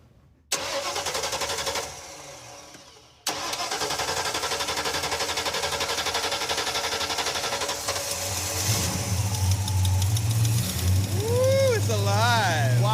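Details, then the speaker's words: 1968 Ford Ranchero 302 V8, first start after sitting long in storage, fuel line leaking: catches, dies, refires and settles into steady even idle with blips; runs healthy. "that sounds all right wow that's pouring gas like it's bad all jum but that we can fix that pretty easily man it runs good it sounded great"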